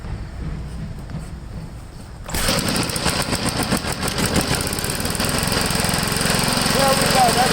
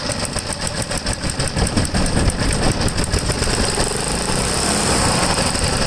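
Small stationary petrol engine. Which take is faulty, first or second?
second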